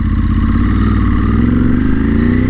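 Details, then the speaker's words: Ducati motorcycle ridden under load after an $80 repair attempt that failed: rough, uneven drone that doesn't climb cleanly. It bogs under heavy throttle but pulls if the throttle is feathered; cause unknown. "it doesn't want to go heavy throttle it will go quick if you like feather the throttle but if you go hard on the throttle it's not going to do anything"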